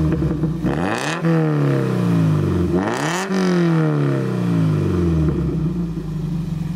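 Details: Toyota MR2 Mk3 ZZW30 with 1ZZ engine, repaired after rod bearing failure, revving through a homemade TIG-welded stainless Lotus Elise-style exhaust with button-controlled valve: two clean blips, revs climb and fall smoothly, even throaty note, no knocking; healthy.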